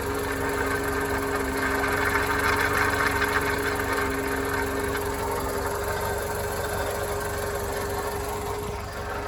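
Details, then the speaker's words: Worn Volkswagen Lupo small three-cylinder: idle with a tapping beat about three per second under a thin whine; rough running, cause not clear. "told you it sounded bad, didn't I? Goodness me."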